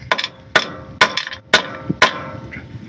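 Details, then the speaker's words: Mitsubishi Pajero with an intermittent front-end rattle: ringing rubber-mallet taps on the hollow front crossmember, each followed by a loose clatter from a stone trapped inside. "yeah you know like I checked everything I couldn't find the problem and eventually it was this the stone in here"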